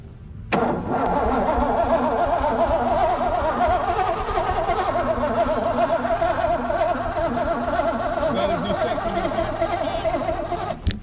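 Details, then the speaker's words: 1988 Mustang GT that sat 19 years: starter whirs steadily with slow, uneven cranking beats, about two a second for ten seconds, and the starter was moving the car; engine never fires, so it cranks but won't start. "so literally you guys i don't know if you heard that crank it but the starter was moving the car"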